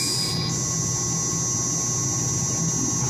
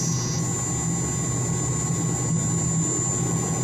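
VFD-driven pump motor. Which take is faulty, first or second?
first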